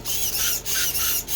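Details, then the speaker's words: Stock Traxxas steering servo in a 12-turn Mud Boss RC truck, which sometimes fails to work and has inaccurate throw: high, raspy squeaking in repeating half-second bursts. The servo is faulty and is to be swapped. "The issue with the servo is sometimes it doesn't work and it always makes this noise."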